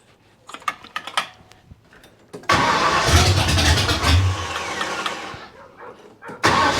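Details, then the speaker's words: 1972 Ford Maverick with a freshly rebuilt 317 V8, on a restart; transmission cooler lines leaking. It cranks and catches, then the idle surges and sags unevenly. Erratic idle; owner suspects an air or vacuum leak, possibly under the carb spacer, unconfirmed. "so yeah it feels it sounds like it's got an air leak it feels like it's got an air leak vacuum leak something yeah it's kind of erratic"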